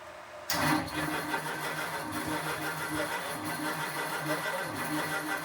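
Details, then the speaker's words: 1932 roadster engine turned over for the first time, pumped gas: sluggish, labouring crank with uneven chug that never catches; starter said to be no good and voltage low, cause not confirmed. "Starter's no good. Starter's no good? Right. Well, it's low voltage too."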